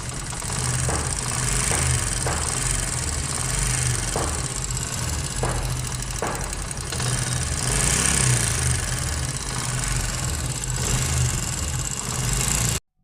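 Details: 2022 Honda CD70, mechanics couldn't clear the noise: light ticking from the head over a steady single-cylinder idle; tappet noise from worn rocker arm pin bush.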